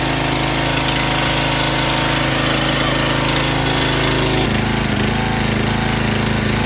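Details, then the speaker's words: MTD Yard Bug riding mower test run on low fuel after gear shift cable replacement: a loud, even small-engine chatter with no misses or knocks; it runs smoothly. "it should start up this thing has been running amazing"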